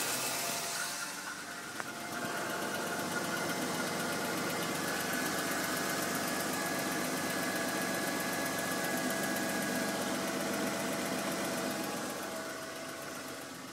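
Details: BMW M52 engine at idle: steady idle with a quick, even tick about four times a second over the engine hum; strange noise, cause not known.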